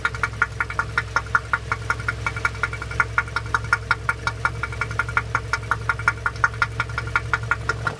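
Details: Toyota RAV4 engine with a loud, sharp, metallic knock at about three per second at steady idle; it started faint, hydraulic lifters were suspected, 10W-40 oil didn't reduce it, and it became much louder with the oil filler cap open. Cause unknown.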